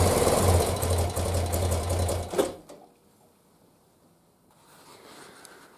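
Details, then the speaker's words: 1976 BMW R100S airhead boxer twin, dealer-rebuilt 20 years ago and stored unrun, carbs untouched and untuned, very cold, first start: catches and runs with a low, slightly uneven thump for about two seconds, then drops away. "this is the best feeling ever i'm so happy that this bike runs now"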